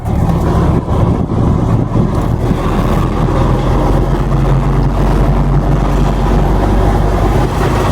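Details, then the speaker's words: Nissan C22 Vanette on a test drive: a steady low drone and hum under the road rumble, loud in gears 1, 2, 3, 5 and reverse, quiet in 4th, gone with the clutch pressed; gearbox noise. "apa punca gearbut bunyi ni sebenarnya? >> Punca gearbuk bunyi ni yang pertama sampai masa. Yang kedua kesilapan owner sendiri."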